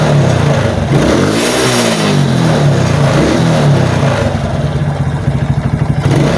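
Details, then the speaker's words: Suzuki Titan/Smash motorcycle that would cut out under throttle with a weak battery, now running on a new battery: engine revs crisply and freely through repeated blips, no stutter or misfire; healthy. "Tes gas berhati teman teman-teman ya bertin tangan saya saat ngegas ya jadi enggak ada suara deg deg deg deg deg jadi kayak telah minyak ya kayak motor itu enggak mau jalan sama sekali ya enak ya"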